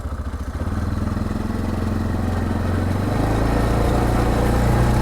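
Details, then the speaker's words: 2024 Massimo MSA 550 ATV, nearly 500cc Linhai gas engine with CVT, pulling away in high range: engine note climbs in one smooth sweep, no clicks or gear-shift steps, smoother than the Honda; CVT working properly. "see there's no click there's no shifting gears you feel nothing it's just very very smooth compared to the Honda"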